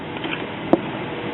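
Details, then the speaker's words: Circa 1982–83 Zenith 17-inch Space Command color TV, believed to have the 9-181 signal board and 9-186 sweep module, no picture and shutting down: single sharp pop from the speaker at switch-on over quiet hiss; intermittent fault, cause unknown. "I hear a little pop in the speaker and then whenever I turn it off I hear this weird sound and I don't think I've ever heard one of these make that sound before"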